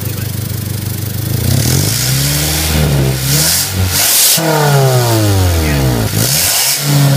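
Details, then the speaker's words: 2000 Honda CR-V with 192,000 miles after replacing a clogged catalytic converter with a new stainless exhaust: revs climb and fall cleanly with no hiss, rattle or restriction. The exhaust sounds healthy. "bit all right we got a nice new exhaust on there that a peek of this nice stainless steel all the way cat Catal sounds good"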